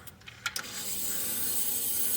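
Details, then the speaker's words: Ford 351 Windsor rock crawler truck with Holley EFI, fuel pumps run with key on and battery cable touched: a few clicks, then a steady fine hiss builds and holds. Injectors firing on all four barrels. "So, you see we got that thing firing all four barrels."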